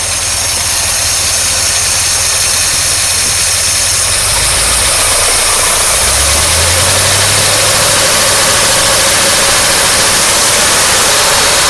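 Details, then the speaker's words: 1953 Oldsmobile Rocket Super 88 barn-find V8 restarted: loud, uneven running with a pulsing beat near three per second, and revs wander upward midway. Rough running; owner suspects the carburetor, but it is not confirmed. "let's start up one more time I was like damn it doesn't like that at all one more time"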